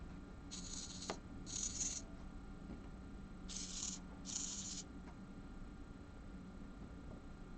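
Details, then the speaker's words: Hobby servo driven via potentiometer to a 250 value, beyond its 180 travel limit; quiet room with short high-pitched gear buzzing and faint clicking as it hunts against the end stop: servo overdriven past travel limit. "right now we're at 10 250 in i can hear it clicking a little bit right"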